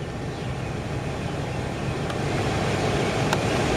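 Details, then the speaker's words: 2007 Nissan Xterra with newly replaced blower motor, AC on: even, smooth rush of air with no ticking, squeal or rattle; quiet, normal blower operation. "we'll go ahead and kick it on here the AC come on I hear the fan it's nice and quiet"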